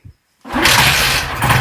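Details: Bajaj Platina 125cc motorcycle that wouldn't start after washing: brief quiet, then a quick crank that catches at once and settles into a steady, even-firing idle; starts cleanly.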